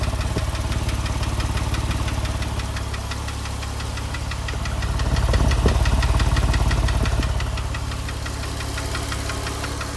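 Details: 2005 Porsche 997 S, Tiptronic, 82,000 km: a steady rapid knocking, about three per second, over the low engine drone that swells as revs rise. Internal engine knock.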